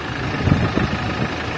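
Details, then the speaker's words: 2023 Toyota HiAce with a no-start (no fuel pump supply, EFI relay suspected): after jumpering the EFI relay the fuel pump ran and the engine started, settling into a low, steady rumbling idle with no misses, knocks or hunting; normal idle. "Yun lang talaga ang kailangan umandar na."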